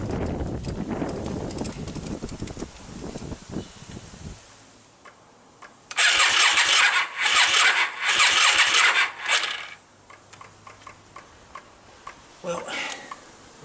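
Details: Yamaha Virago XV 535 with replacement carbs, hard starting and low fuel flow, runs rough in uneven bursts with gaps and dropouts, missing and backfiring; a plastic part looks melted, owner suspects a failing coil and may check alternator voltage.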